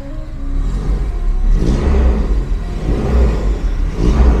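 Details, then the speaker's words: 1994 Toyota Kijang Super starts on the first crank, then low, even rumble swelling smoothly with throttle blips under music; sounds tasty and unstrained, engine judged still good. "gurih nih suaranya. Masih enak loh. Tuh. Kalau mesin sekali starter langsung nyala itu berarti mesinnya masih good."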